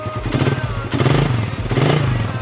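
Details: Suzuki Satria FU 150 single-cylinder after fixing a no-start from a weak battery and flooded carburetor, battery charged. Quick, even putter with some throttle blipping. Fuelling clean; starts and idles properly.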